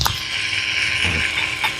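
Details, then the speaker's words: Proton X50 rear brake pad change, scanner ESC maintenance mode: rear caliper electric parking brake motor winds piston back with short steady whirr and faint ratcheting until it goes silent; normal electric parking brake retraction. "Tunggu motor dia masuk ke dalam dulu. Tunggu habis dia senyap, barulah kita boleh stop. Okey, kan dah berhenti."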